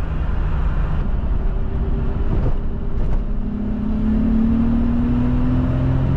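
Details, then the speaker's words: Nissan R32 Skyline RB25 turbo after new MLS manifold-to-head and manifold-to-turbo gaskets and split vacuum lines replaced: pulls smoothly through whole rev range with rising turbo whistle, earlier squeal and stutter gone; normal acceleration. "yeah, that squeaky sound is gone. Now we've just got some turbo noises. It pulls so smoothly through the whole rev range now, whereas before it'd sort of stutter a little bit and then it would go."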